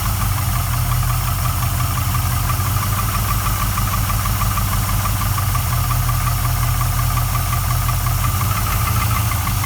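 A fast, even ticking knock rides on the V8's low idle rumble and stays steady; a knock or slap whose cause isn't confirmed.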